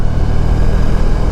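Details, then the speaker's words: 1994 Honda ST1100 on a test ride after replacing the front wheel bearings. Steady engine and road rumble with no whine, growl or rhythmic tire noise from the front wheel; normal wheel bearing running. "because now I don't hear that noise is not making the tire noise anymore actually writes fine smooth"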